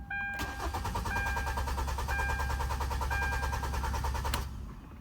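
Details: Car labelled a 2010 Nissan Versa but called a 2013 Hyundai Tucson in the talk, codes P0076 P0079 P0445: steady starter cranking, about three turns a second for four seconds, never fires; no fuel, missing injector fuse.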